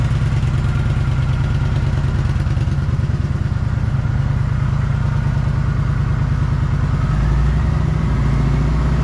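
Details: Kawasaki Vulcan 900 twin after the no-start fix (a blocked tank breather check valve): fuel pump primes, then it settles into a steady, even idle with no misses or stumbles. The starting problem is cured.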